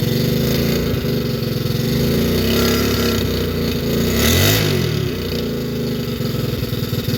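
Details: Long-sitting 110cc single-cylinder pit bike first kick start, swapped spark plug and some 50:1 mix: rapid uneven popping, revving up and down, then settling into a steady run; running fine.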